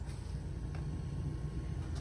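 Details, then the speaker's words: Bell & Gossett circulator pump on a boiler, after fixing, running with a steady, even low hum and no knocks, rattles or grinding; sounds as it normally does, healthy. "I can hear it it's going yeah it sounds good let me uh see if I can no that's how it normally sounds"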